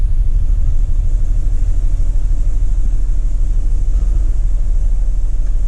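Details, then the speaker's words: 2004 Toyota 4Runner on cold start, in reverse, codes P0202 and P0306: deep, lumpy rumble with violent irregular shake about two pulses a second, flashing check engine light; misfire only on startup, then smooths out, cause not confirmed. "it has a misfire and it shakes very violently only on a startup and something like that can be very difficult to fix"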